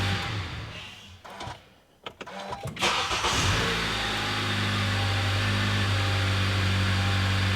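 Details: Water-damaged car being rebuilt, started after its SRS module was replaced and the SRS/ABS codes were cleared: handling noise, then a short crank catches quickly and settles into a smooth, even idle with no knocks or ticks.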